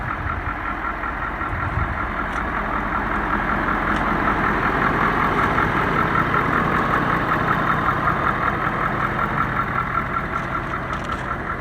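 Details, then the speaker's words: Wrecked 6.7 Powerstroke diesel truck at Copart, started after reconnecting the battery; hesitated a little, then settles into a steady even idle with regular clatter, no misses or knocks; normal idle. "It hesitated a little bit, but I mean, for how beat this thing is, it's really cool to hear this thing fire up."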